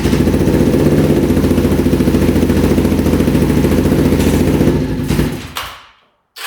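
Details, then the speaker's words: 1988 Kawasaki Ninja EX500, first start, choke on: a steady beat of about three and a half pulses a second that sags instead of revving out; fuel, spark and compression confirmed, owner suspects the kickstand switch; fuel starvation. "all right she's not revving out at all we know we're getting gas we know we're getting spark and we know we have compression"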